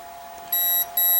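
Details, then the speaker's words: Durafly Komet foam RC plane after switching to a 3S battery, propeller off; two short high ESC beeps over a faint steady tone; control surfaces work but no power to the motor, no throttle response. "And I'm getting these tones from the speed control, but no response."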